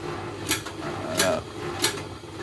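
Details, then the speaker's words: Washing machine: an underwire from a bra tore through fabric, slipped past the front door bellows seal and lodged by the heater between tub and drum, so sharp metallic ticks come about every 0.65 s as the drum turns. No machine fault; reach the wire by removing the tub-to-pump hose. "Çıkarak bu öndeki körüğün kapağın olduğu yerdeki körüğün lastiğin arasından içeriye kaçarak resistansın arasına sıkışarak tambura dönerken çarpmasından kaynaklanan bir ses."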